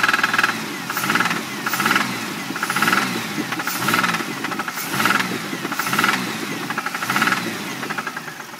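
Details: 1999 Grand Prix, engine described as having seen better days: deep knocking under a lumpy idle, swelling roughly once a second; rod knock suspected, not confirmed.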